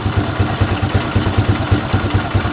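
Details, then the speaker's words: Fury 125 single-cylinder motorcycle after DIY carburetor repair kit replacement: even, steady thump about five beats a second with no hunting; idle now stable, unlike before when it rose and fell. "Stable na rin po yung kanyang minor kapag naka-idle. Hindi po katulad nung dati na taas"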